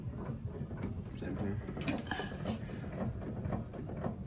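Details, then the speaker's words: 1962 Ford Falcon inspection, wheel rocked back and forth: loose irregular clunks and knocks from the steering box, oil visibly bubbling inside the box; worn steering box. "Oh, I can really hear it in the box now. I can actually watch the oil in the box bubbling."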